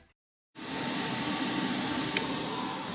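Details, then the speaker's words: Rack server inside a homemade wooden soundproof cabinet: soft, even fan hiss with a faint constant tone, no rattles or surging; normal fan noise, much quieter than before, muffled. "As you can probably hear, the server isn't silent, but it's much quieter than it was before."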